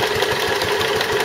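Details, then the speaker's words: Stuart Turner water pump after replacing the failed big end bearing; steady run with a regular dull knock on every beat, much quieter than before, but another knock remains from an unknown source; owner wonders if it is a valve. "pump's going okay, but it's got another knock from somewhere, substantially reduced the amount of noise it was making, so the big end had obviously gone, but I can't work out what the other noise is."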